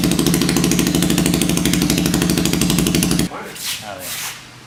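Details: Hammerhead 250 SS go-kart single after fitting homemade custom exhaust pipe: even, rapid exhaust pulses steady about three seconds then engine cuts; runs smoothly, no knocks or misses.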